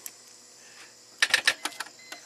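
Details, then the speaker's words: 2004 Chrysler Crossfire, off the road over a year, no-crank since a battery replacement; several modules offline, PCM online with no codes. Key to start gives short sharp starter clicks and silence, never cranking; starter draws about 80 A while battery voltage holds. "you can hear the starter trying to click but it's not engaging"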